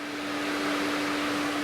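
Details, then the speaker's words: Infiniti M56, VK56VD V8, key in accessory, engine off: right-side cooling fan runs constantly with a steady whooshing mid-pitch hum while the other fan stays still; failed right cooling fan control module, replaced with part 21493-4GA0A. "can you hear that one of my fans is running [Music] looks like we have the culprit over here"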